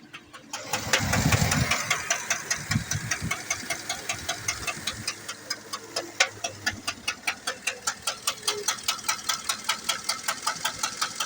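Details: 2008 Chevrolet Tahoe 5.3 engine at a settled idle after start-up: sharp, even ticks about two and a half per second. Engine ticking of unknown cause.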